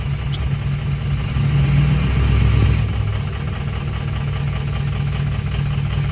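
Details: 2004 6.0 diesel at idle: deep, uneven, lumpy clatter that never settles into a smooth beat; rough idle.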